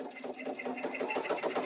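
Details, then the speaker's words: Embroidery machine stitching an in-the-hoop baby project with the design too close to the hoop edge: quick, steady tapping about eight per second with a sharper knock each stitch; the needle is striking the hoop edge, so the design must be shrunk. "you hear it knocking that's not good i don't like to do that y'all that was real close"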